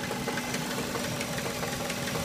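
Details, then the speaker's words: Subaru engine at idle: uneven tapping and clattering from inside over the steady engine hum; internal knock, cause unknown. "mean you can hear this weird weird strange noise coming from inside i mean i just i really can't come up with an explanation i mean it sounds absolutely terrible"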